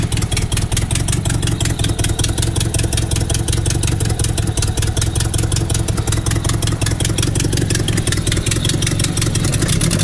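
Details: Nissan S12 with CA18DET engine after idle rework: even steady idle with smooth low rumble, no stumbles or knocks; running healthy, further tuning planned.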